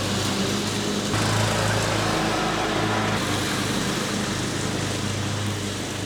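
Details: Riding mower after new deck belt fitted: loud even engine drone with steady low hum, no misses or knocks; runs smoothly.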